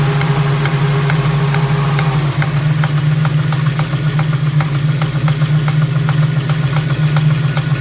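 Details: Ford 351 Cleveland V8: sharp, fairly regular taps about four a second over a lumpy idle; owner suspects engine knock, source unconfirmed.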